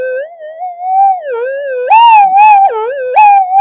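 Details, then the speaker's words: Minelab GP/GPX detector in mono mode, coil's two windings on separate input channels with one out of phase: warbling whistle wandering in pitch with no target; mains interference, probably from workbench magnetic field, cancellation not working. "Yeah, it sounds like mains interference."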